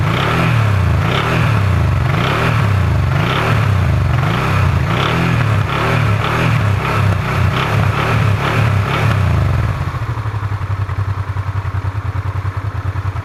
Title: Honda RD10 Transalp strange engine sound